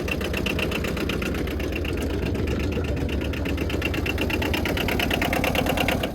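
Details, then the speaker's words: 2008 Arctic Cat Diesel 700 quad just revived: diesel chugs fast and steady, about four pulses a second, never settling to idle; throttle stuck from sticky governor mechanism. "Pull that back out there. It's this part that's sticky. The governor mechanism. Have to spray that with some WD."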